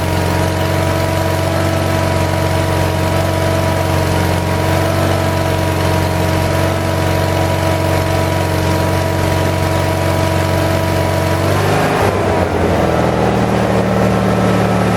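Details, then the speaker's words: 1978 Lincoln Lincwelder 225 welder-generator, cold start after new points and condenser and a governor adjustment, carburetor still not fully adjusted: steady mid-pitched drone, slightly lumpy, settling lower near twelve seconds; runs fine. "a so as you can see I know it's going to focus but does a pretty good job it's running a little bit cold it's a little bit lumpy"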